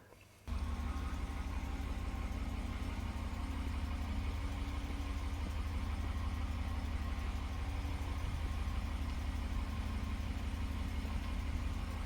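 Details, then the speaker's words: 2019 RAM 1500, about 10,000 miles, one week after Mopar brake anti-moan kit install: only smooth, steady low idle hum, no cold-weather howl or moan from the brakes when backing up. "well it's been about a week since i installed the brake anti-moan kit and so far so good i haven't had any more of the moaning noise when it's cold outside"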